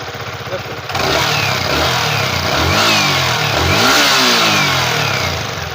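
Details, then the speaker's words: Yamaha R15 V3 with a grinding noise that sounds like a failed crankshaft bearing; with the ignition coil wire disconnected, the engine revs with a smooth, clean note and no grinding. Normal running with the coil circuit unplugged. "இப்ப பாத்தீங்கன்னா உங்களுக்கு சவுண்டே வரல. வித்தியாசம் தெரியும் உங்களுக்கு. உருன்னு வர sound. அந்த உரு உருன்னு வர சவுண்டே இப்ப வரல பாருங்க நைஸ் ஸ்மூத்தா இருக்கு பாருங்க"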